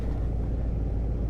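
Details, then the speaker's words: 2006 Range Rover Supercharged V8 after replacing the belts, idlers, tensioners and supercharger belt: low, even burble at idle with no squeal or chatter; healthy, smooth idle. "sure if i will even hear it on camera but this thing does burble pretty nicely here"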